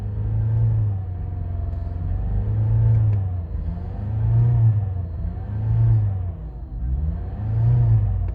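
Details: Mazda 6 after piston replacement, now hard to start and won't idle; revs keep surging up and sagging back every second or two in a slow hunt; high unstable idle.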